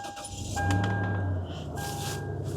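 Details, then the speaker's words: Rusted-out trade-in with about 180,000 miles: very soft, low, steady engine hum, no ticking or knocking. A quiet, healthy idle from a good engine, unlike the red 4Runner with the knocking motor. "yeah, you can barely hear that thing run, unlike the red one up there. It's got a good engine in it."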